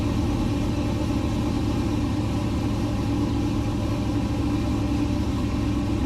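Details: LS-swapped 1969 Chevrolet C50 farm truck, just after intake install and power steering rebuild with some remaining fluid leak; smooth even low V8 rumble holding one steady speed, no misses or knocks; normal idle.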